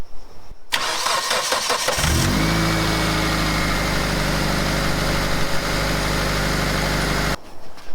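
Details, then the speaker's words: Two-door Mitsubishi Lancer CE after swapping the faulty relay: it cranks briefly, starts cleanly and settles to a smooth idle. The rapid ticking previously heard at key-on is gone. A separate bogging at idle and under acceleration remains. "Hey, she's on, there's no ticking. I think that problem is solved."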